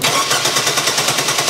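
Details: 1997 Chevy Blazer 4.3L GM CPI Vortec, good spark, fires on propane, cranking on battery charger: fast even cranking that never starts; fuel pressure below 50 psi needed to open poppet injectors, suspected fuel pump.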